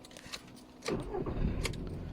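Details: Audi A2 petrol engine with LPG conversion, restarted still warm on a new battery with the lights on, after cold rough-idle misfires blamed on a dead battery cell: short crank, catches at once and settles into a steady idle.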